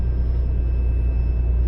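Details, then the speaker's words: Toyota 90 Series Prado fitted with a new 155 L long-range main fuel tank, started while being switched between main and sub tanks: a steady, even low rumble, a normal smooth idle. "oh my God it's running on Main because the fuel the lights off"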